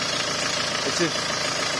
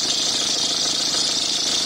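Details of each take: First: Peugeot 306 2.0 HDi diesel after replacing the noisy alternator belt tensioner: steady, even idle with no whine, chirp or chatter from the belt side; the repair fixed the noise. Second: Peugeot 306 HDi 2.0 diesel idling with a loud, steady, high-pitched whine from a worn alternator belt tensioner pulley; spraying the belt did nothing, the noise changed when aimed at the pulley, and the tensioner was replaced.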